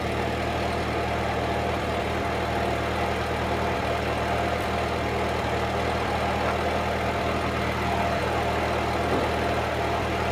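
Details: 1946 Ford 2N tractor under restoration, idling after a battery fault was found as the cause of earlier trouble and charging confirmed on the gauge: low, even idle with a steady firing beat, no knocks, misses or rattles; healthy.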